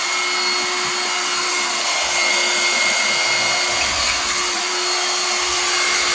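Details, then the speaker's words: Bissell 3-way vacuum cleaner, broken, plugged in and run: motor spins up to a steady high whirr with constant hiss, pitch never sagging, but it won't suck a finger in; suction weak, cause unknown. "This thing is not sucking my finger in. So that tells me the suction is not working correctly."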